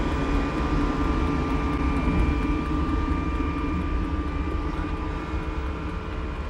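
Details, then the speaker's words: Air heater aboard a Jeanneau Merry Fisher 895, heard in the locker near its air intake, feeding heated air to the cabin outlets: steady low rumble, even fan hum, faint whistle, no surging or knocks; normal running. "That's its intake there, takes in the air there into the system here, heats it up. and then disperses it around all those various outlets that we've seen in the cabins."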